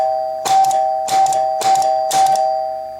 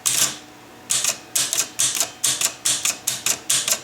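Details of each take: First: Chicago Coin Blue Max electro-mechanical pinball, advance relays clicked by hand with the score wheel motor running: four clear chimes about half a second apart, each with a short relay clatter; normal score advance with chimes. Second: Chicago Coin Blue Max electro-mechanical pinball with score wheels that don't all reset to zero, a score wheel activated by hand gives sharp clacks in uneven bursts with a stall; sticking score wheel.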